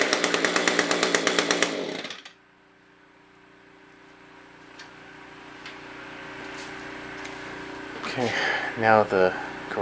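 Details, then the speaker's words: SRM-210 trimmer first start with new carb kit and plug, oil in cylinder, primed: buzzy two-stroke rattle about two seconds then cuts out, smoky; running rough before carburetor tuning. "smells like marvel smoke i'm going to get the tuning screwdrivers and we'll tune it up a little bit"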